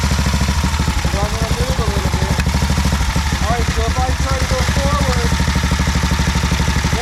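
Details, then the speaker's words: 1950 BSA B33 single after rebuild and first start, trying to pull forward: slow regular single-cylinder thumps without taking up drive, heard sliding on the clutch plate, not grabbing; worn clutch slipping, owner thinks clutch needs replacing. "you can hear it sliding on the clutch plate it's not grabbing on very good"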